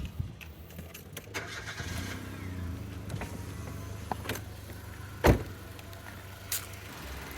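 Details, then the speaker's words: Nissan March 1.2 L automatic 2011, 98,000 km, hood open: short crank catches cleanly into a quiet steady low idle, no knocks or rattles, a few handling clicks; healthy engine. "kita buka dulu kap mesin sambil kita Nyalakan mesinnya ya biar teman-teman tahu kondisi mesin Nissan Mars 2011"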